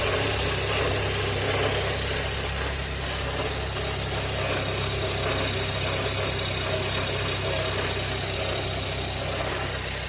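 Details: Car engine idling with a steady deep hum; owner cannot identify the cause.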